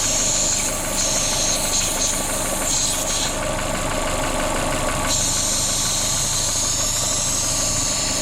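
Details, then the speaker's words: Corsa VXR idling, poorly maintained: steady sharp constant hiss over the idle, heard at the top of the engine; the vacuum leak is a broken/split cam cover, to be replaced with a new cover and gasket. "It's not difficult to find a vacuum leak really. And this one's really loud, so oh, I can hear it now. All right. Yeah, that's it. The cam cover's broken or split."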